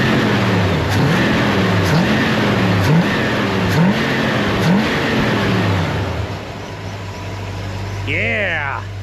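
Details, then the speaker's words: Near-stock Vortec small-block Chevy in a Chevelle, carburetor with 10.5 power valve and orange accelerator-pump cam, stock heavy torque converter: quick clean blips from idle about every second, revs rise and fall crisply with no stumble or bog. "Now with that higher number power valve, the 105 and the orange cam. Listen to this. Oh yeah. Race car."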